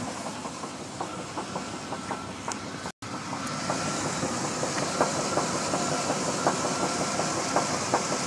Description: 1991 Chevy K1500 305 V8 connecting rod bearing knock.